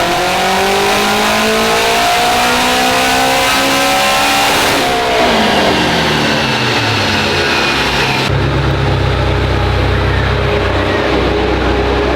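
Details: Honda on dyno, pull on wastegate pressure (28 psi), making 693 wheel horsepower and out of injector: strong, clean wide-open pull, pitch climbing smoothly through revs, steady note after shift; engine sounds healthy.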